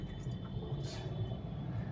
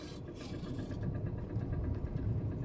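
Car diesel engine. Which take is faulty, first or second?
second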